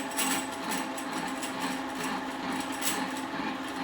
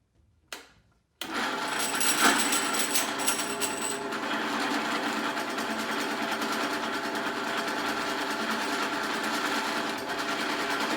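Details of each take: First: Mitsubishi 3000GT/Stealth 5-speed AWD manual transmission, back plate off, spun by drill press on the bench: uneven metallic rattle over motor hum, the neutral rattle that disappears with clutch pressed; cause traced to shift slider. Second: 3000GT/Stealth 5-speed AWD transmission on a drill-press test rig after re-pinning the 3/4 slider fork to center the slider: steady even whir in neutral with no chatter or rattle.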